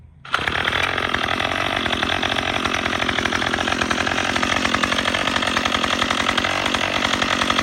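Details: Troy-Bilt TB22EC two-stroke string trimmer after primer bulb replacement following a no-start from sitting; snaps to life and holds a loud even buzz without surging or dropping out, runs normally.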